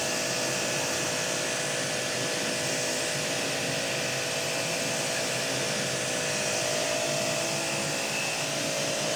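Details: Hanabi JBD 8003 induction-motor pressure washer, 127V/110V, spraying snow foam with the supplied applicator on a bike: steady foam-spray hiss over an even motor hum, no surging or pulsing; normal running.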